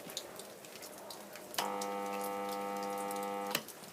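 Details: Unmarked 50-litre compressor, previously used in a garage for spray painting and not working, hums loudly but never starts; supply voltage drops and lights dim; owner suspects the start capacitor.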